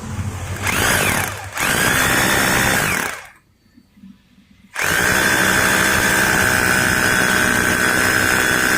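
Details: Maktec MT870 rotary hammer after repair, SDS bit drilling concrete: strong steady motor whine with fast even hammering rattle under load; normal hammer drilling, though concrete mode selector no longer functions.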